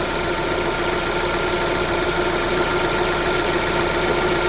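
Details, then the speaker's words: 2009 Holden Cruze JG 1.8L F18D4 after replacing the rocker cover with built-in PCV valve for white exhaust smoke: even, steady idle with no hiss or sucking air, a healthy engine at rest. "Okay guys, we're going to start the car. It's not hearing any hissing noise."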